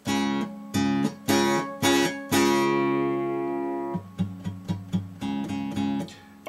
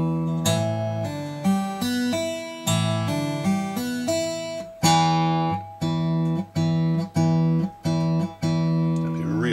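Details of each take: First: Breedlove Premier 12-string acoustic tuned to open C#, 1.5 steps below standard: strummed chords with a rattly buzz as the too-slack sixth string flops against its octave string; returning to standard tuning fixed it. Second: Breedlove Premier 12-string acoustic with 6th-string rattle, previously tuned down to open C#, now back in standard tuning with neck relief and action checked: full chords ring cleanly, no buzz or rattle; hard strumming may rattle slightly.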